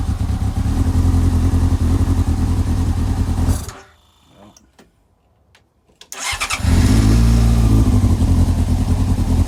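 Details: Old scrapped Yamaha R6 after storage, first start on a makeshift fuel supply, possibly with choke. Engine runs with a rough throbbing beat, cuts out for a couple of seconds, then fires again and settles.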